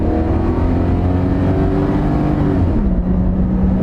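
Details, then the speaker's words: Chevy truck/SUV with about 316,000 miles, full-throttle drag-strip acceleration: engine pulls hard with a smoothly rising note, then drops pitch on an upshift; no knocks or misfires, engine sounds good; transmission had a slight delayed shift but shifts smoothly. "And here we go. Full speed ahead. Engine sounds good."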